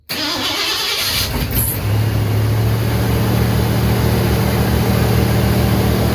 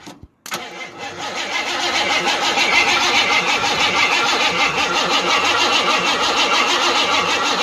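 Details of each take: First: 1988 Ford F150 XLT 5.0 302 V8 2WD after new starter, battery cables, starter heat shield and tune-up: quick, brisk crank, clean catch, steady even idle with faint valve spring popping. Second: 1988 Ford F150 XLT 5.0 302 V8 before repair: slow, labored cranking at about three pulses a second, jumped with a screwdriver, dies out as if battery weak and never catches; badly worn starter, later replaced.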